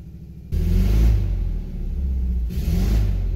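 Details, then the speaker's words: 1999 Toyota Camry LE with rod knock, bearing failed, repaired by deleting one cylinder and welding the piston up: rough lopsided off-beat revs with little power, running on three cylinders; check engine light shows misfire. "it sounds so wacky kinda sounds like a fiesta it doesn't have very much power at all i mean it's got some power oh check engine light it thinks it's misfiring"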